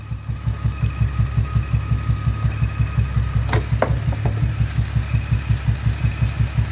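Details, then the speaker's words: Camaro V8 with loud exhaust at idle: a regular heavy boom about three times a second from cylinder 5 misfiring, code validated; the owner suspects the ignition coil and plans to swap coils to confirm. "hopefully it's just keeping it idle and knowing we can hear that is obviously misfiring."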